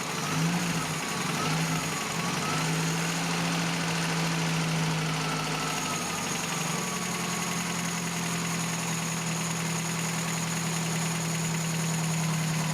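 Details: 1987 Toyota pickup 22R carbureted engine after carburetor cleaning and rebuild, idle mixture screw 3.5 turns out; steady even low idle around 750 rpm with no stumbling, hunting or misfire; normal idle.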